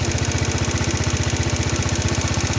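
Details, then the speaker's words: Chinese four-stroke scooter (139QMB/GY6-type) after a pod filter swap and carburettor tuning; even, steady idle pulsing about eleven times a second with no misses or stumbles; smooth, healthy normal idle. "under that lovely smooth running engine"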